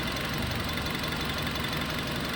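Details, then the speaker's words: Nissan Livina after repair of rough, shaking idle: petrol engine idles steadily and evenly with no stumble or vibration, though owner notes it still occasionally turns rough briefly then settles; coils had been checked. "ini sudah e normal untuk suaranya sudah tidak ada getar-getaran Seperti yang kemarin ya teman-teman itu kondisi mesin sekarang sudah tenang nih"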